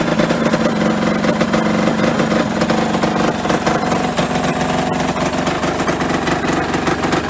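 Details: Yamaha RD125LC two-stroke, stood 17 years, running after revival: steady even idle with crisp regular popping, no misses; engine runs fine.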